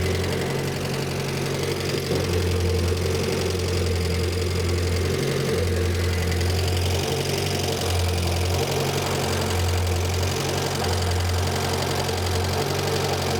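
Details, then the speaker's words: Renault 5 Gordini Turbo, non-electronic idle mixture screw turned out (richer), likely unadjusted for years; loping uneven idle stumbling about every second, delayed response; rough idle from over-rich mixture, screw turned back in. "go now that is I'm unscrewing that which makes it richer and it doesn't like it so I'm going to screw it back in again"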